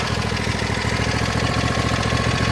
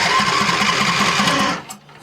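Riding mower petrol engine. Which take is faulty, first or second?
second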